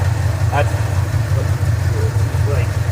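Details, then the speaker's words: 1984 Ford F-150 V8, warm idle after water pump work and opening the driver's side exhaust manifold flapper door: deep, even rumble with a steady beat and no misses or ticks. Base timing just reset to 10°; engine likes this idle speed. "listen to that thing it sounds like it really likes that idle speed there"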